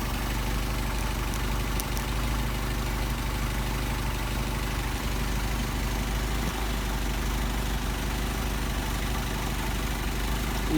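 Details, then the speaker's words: Solex 44PHH carburetors on a test engine, idle mixture screws being tuned (start 1.5 turns out): backing out makes it falter, returning to the best setting gives an even, steady low idle with no hunting or misses; normal idle. "Back out a little bit. Start to falter again. Back in where we had them. We got our best running."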